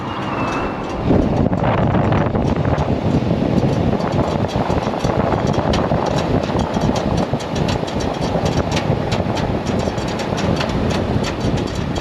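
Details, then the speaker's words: Semi truck at highway speed; heavy road roar with metallic ticks and scraping, like metal underneath hitting the ground while driving. Something underneath is dragging. "like a piece of metal underneath my truck scraping or hitting the ground every time when I was driving."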